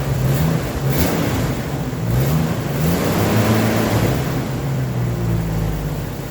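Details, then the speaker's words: Jeep YJ Wrangler first run after four years: loud revving rising and falling with throttle, rough and clattery underneath; owner attributes clatter to past rev-limiter abuse and overheating, unconfirmed, plans an oil additive; throttle briefly stuck. "it's actually a little noisy um as far as like it sounds like it's got some clatter but putting it to the to the red and uh just letting it eat limiter will do that to you"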